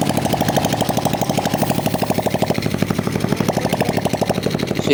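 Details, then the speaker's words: Honda XRM 125 after overhaul with new cylinder block, rings and connecting rod/pin: even single-cylinder putter at about three beats a second, no knock or tapping; connecting-rod noise gone. "okay na itong ganyang makina at wala na yung ingay ng connecting R"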